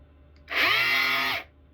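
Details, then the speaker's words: DeWalt palm sander whose motor has been seized by drywall dust after one job of under 1,200 sq ft, even though it was blown out. The high whir spins up for under a second, sags in pitch and cuts out. "I did blow it out, but obviously it's got drywall dust sucked in the motor somewhere, and it seized it up."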